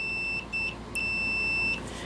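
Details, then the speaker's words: Bench mock-up of a 12V 5-pin automotive relay: multimeter on continuity across control pins 85 and 86 beeps twice briefly, then holds a steady tone for nearly a second, confirming good relay coil continuity. "you're gonna get a multimeter and put it on continuity and make sure that it does have continuity"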